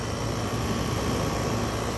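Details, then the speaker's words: Cheap Frigidaire window air conditioner, compressor running, heard from outside: even low hum, steady drone, no rattles or clicks; very quiet, healthy compressor. "kind of hear it it's very quiet"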